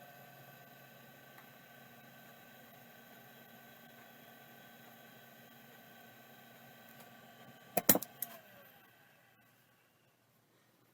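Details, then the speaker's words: WD 362 vintage hard drive, same as the Tandon TM262 but with its bracket, on power-up: a steady hum, a brief cluster of sharp clicks near eight seconds, then spin-down. The head stepper is badly stuck and cannot seek. "yeah that's super stuck but this Drive is probably going to work"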